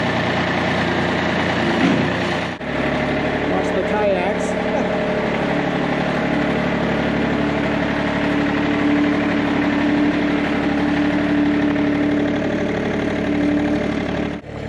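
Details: John Deere 955 with Yanmar inline-three diesel, cold start after glow plugs: steady, even clatter at idle with no misses or knocks; healthy idle.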